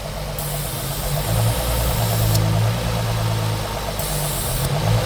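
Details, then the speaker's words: Nissan 350Z HR idling with the engine cover removed: uneven idle with an airy hiss; vacuum leak through two open holes that must be closed, after which the rpm stabilizes. "you are listening to this hissing sound, your RPM is not stable."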